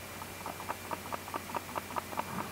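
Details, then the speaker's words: New Canon EOS R5 body shaken without the battery: light crisp clicks about four times a second after each shake, something loose inside; owner suspects the in-body stabilizer, much quieter with the battery fitted and powered; internal rattle when shaken. "但是它会有异响。然后我们把这个电池给装上去，你就会发现它这个声响就会没了，就会感觉，来我试一下吧。"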